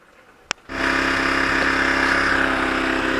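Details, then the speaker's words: Zontes Tiger 125cc motorcycle bought as a non-starter, after restoring spark and switching fuel tap to reserve: one click, catches at once and runs steadily without misfire; kill switch doesn't work, wiring fault suspected. "well it started if you remove this from here which is supposed to be like an anti-theft the only drawback is you can't turn it off there's no kill switch"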